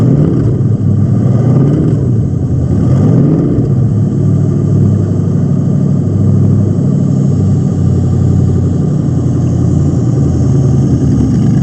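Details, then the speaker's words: 1999 Corvette LS1 V8 pallet drop-in kit with about 154,000 miles, with its own harness, ECU and fuel tank: strong, even V8 burble at idle with clean throttle blips, no ticks or knocks; normal idle and revving. "So this has got a little bit of mileage on it, about 154,000. But it's an LS that runs and sounds really, really great here."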